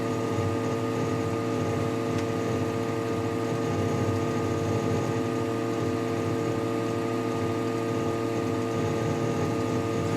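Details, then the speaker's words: Desktop PC tower, camera on the case centre, freezing while browser pages are refreshed with several tabs open; steady loud electrical hum with faint crackling, stopping as the yellow light goes from steady back to blinking; cleaned weekly, cause unknown. "Слушайте вот сейчас трещал сейчас перестал и лампочка сразу жёлтом жёлтое перестало гореть о стало мигать как обычно"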